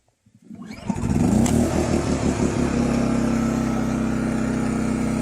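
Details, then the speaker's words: New Champion 200961 2500-watt dual-fuel inverter generator, first cold start on propane with choke on: a few pulls, then it catches at once and runs smooth and even with no misses; healthy start. "Yeah, I put it on choke, and then I put it there. So, it started right away then."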